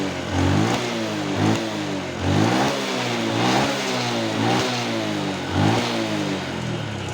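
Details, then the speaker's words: Honda Wave 110i brought in for hard starting and stumbling, after new spark plug and plugs reconnected: clean blips about once a second rising and falling back to steady idle without stumbling; normal idle and revving. "เติมเราเติมเรานิ่งนะครับเดินเราได้นะครับยึดวอดก็โอเคนะครับ"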